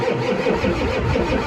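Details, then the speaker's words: Ford 7.3 IDI diesel, sat about 12 years, first start: steady rhythmic cranking with firm even beat but no firing; fuel issue suspected, fuel at the filter Schrader valve, starting fluid next. "I think it's a fuel issue right now. Well, if we spray this in and it starts."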